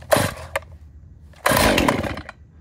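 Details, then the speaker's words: Stihl chainsaw with the decompression valve pressed and full choke, pulled: two short sputtering bursts as it first fires and the valve pops out; stop cranking now to avoid flooding and move the choke up one position. "it seems to be going on this now popped out very important because you think it was about to start don't continue cranking in this position"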